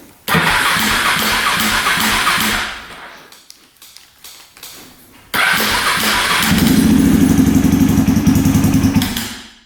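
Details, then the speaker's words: 2003 KTM SXC 625 Supermoto single-cylinder that won't run right, before repair, cranked with the choke on and fuel turned on. It catches and dies within seconds, restarts, revs, and fades out again. Stalling after start. "And it dies. I didn't see the screen come on. Just dies."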